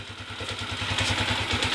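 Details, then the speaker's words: Honda TMX155 single-cylinder motorcycle: even steady idle thump with no knock or tapping. Normal quiet idle, carburetor idle being adjusted. "Okay ito na yung walang sanib mga"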